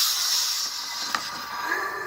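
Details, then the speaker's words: Volvo surge tank with a cheap knockoff radiator cap, pressure-tested with a garden sprayer and gauge. A thin hiss and a pop as the cap vents at about 8 psi. The OEM Volvo cap is rated 22 psi, and the knockoff is rated at only about half that. "we already start to hear a leak but you can hear it so at about 8 pounds that they're starting to pop open"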